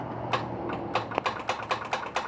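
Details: 1970 Plymouth Fury III convertible, 318 two-barrel V8, A904 automatic, after cleaning original battery cables: rapid dry clicking about four a second, no cranking; solenoid chatters because the failed battery cannot turn the starter.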